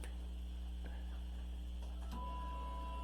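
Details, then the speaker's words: 1994 Chevy S-10, key on with engine off after installing a new fuel tank, pump, sending unit and new lines with 5 gallons of gas: a steady low electric hum with a faint higher tone as the new fuel pump primes normally. "Yep, we hear the pump."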